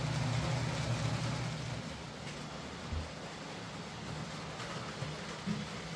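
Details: Hornby J15 model loco, bought new about two years ago, ran slow and noisy; after new motor and regreased worm gear, steady low even hum around 150 Hz, no knocking or grinding: running a lot quieter and smoother, normal.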